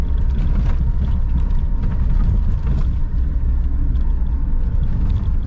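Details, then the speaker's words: Lada 4x4 Niva driven on a rough forest track after the seat mounts were lubricated with Litol to cure a squeak: heavy road rumble and jolts but no creak or squeak from the seat; how long the fix lasts is uncertain. "не скрипит соединить не знаю сколько продержится это дело конечно но эксперимент я считаю удался"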